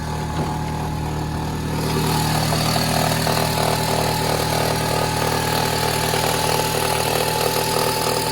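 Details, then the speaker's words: Toyota Harrier, 5S-FE engine, cold start after sitting: light, fast crackling rattle about three or four per second; present for four months, disappears when warm, cause unknown to mechanics. "Какой-то треск стоит, не могу понять, что за треск. Когда машина прогреется, треск пропадает. Но как только заводишь на холодную, какой-то треск стоит."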